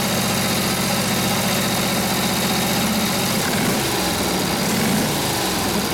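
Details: Rebuilt Harley WL 45ci flathead V-twin with 1939-40 3-speed and freshly set points, held near full throttle with the brake buried; a firm, even rumble holds steady without stumbling as the load comes on, running healthy.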